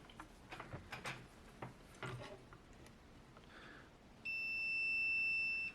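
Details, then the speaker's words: TEVO 2 kW infrared heater SNBHTR, unresponsive: probe clicks then one steady high beep about a second and a half across the circuit fuse; continuity, fuse intact. "cool now fuse is good let's check that resistor because high powered resistors especially low value ones can go high value"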